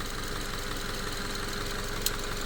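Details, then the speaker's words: Subaru FB non-turbo engine after a no-oil-pressure repair following an oil change, with the pickup screen removed: smooth even idle, steady low hum, no knock or tick. Sounds healthy, though long-term survival is uncertain. "so we might we'll see we'll see what happens but it sounds pretty damn healthy"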